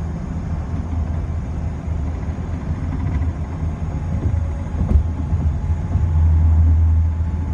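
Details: BMW E30 driving on the road: low, dull rear thump repeating two to three times a second under steady road rumble; source not pinned down, owner suspects wheel bearing, axle, shock mounts, driveshaft or rear differential.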